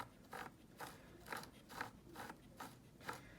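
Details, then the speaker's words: Traxxas X-Maxx front differential after filing burrs off gears nicked by over-tight mesh and refitting factory cover, turned by hand: soft even ratcheting about twice a second, no grinding; diff good. "now it's nice and soft I ended up filing off the birds that were on them and then I put this cover back on factory cover and now it seems to be everything is good"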